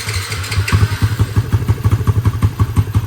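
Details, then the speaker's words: LC135 freshly rebuilt to V8 spec 63 with 20/23 head, 180 injector, 34mm throttle body, Tune Boss ECU, TS Racing 32 exhaust, new coolant and oil, first start: crisp even exhaust pulses, quick clean throttle blips, no knocks or rattles; responsive and quiet engine. "So ni lah bunyi dia. Kena betul. So respon ok, cantik. Enjin pun senyap, alhamdulillah."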